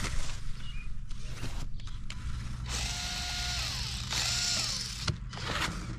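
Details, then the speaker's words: Losi Micro B 1/24 RC car with a brand new motor, run at full throttle: small motor and gears whir hard with a gritty ratcheting buzz; whirring transmission noise of unclear cause. "It was making that worring noise from the transmission again."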